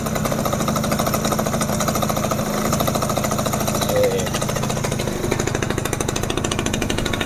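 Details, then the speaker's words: Yamaha F1ZR two-stroke first start after rebuild (new con rod, crank bearings, crankcase) with carburetor fitted and doubled premix oil: fast, even crackle holds steady without stumbles; smooth, normal idle. "Halus ya mesinnya. Halus tuh."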